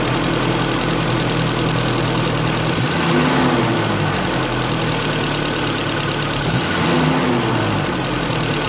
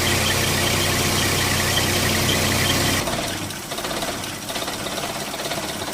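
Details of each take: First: 1995 Holden Rodeo 2.6 four-cylinder, 445,000 km, after cleaning the throttle body: a smooth, even idle with a turbine-like whooshing hum and brief blips, no knocks or misses, so it is running properly. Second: 1995 Holden Rodeo 2.6 four-cylinder, 445,000 km, after air-filter housing/MAF gasket work: a lumpy, loping idle at about three pulses a second, a stumbling 'rump rump'. Touching a part inside the air-filter housing changed it; the MAF is problematic.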